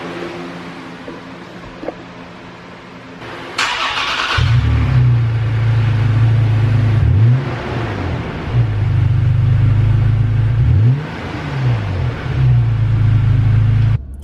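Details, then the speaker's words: Toyota Tacoma TRD pickup, cold start after sitting probably 3–4 days, TRD exhaust fitted, TRD cold air intake removed: starter whirr, then a deep, steady, throaty idle with a few throttle blips; normal cold start. "So we're going to go ahead and do a little cold start with the TRD exhaust, and actually it's just the TRD exhaust."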